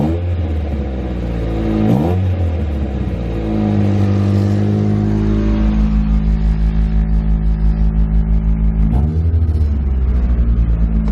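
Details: Nissan 240SX S13 SR20DET with the eBay EMUSA 3-inch catback now fully bolted down: deep, loud rumble with two clean revs, then a steady burbling idle with no puffing. Normal exhaust note, no leak.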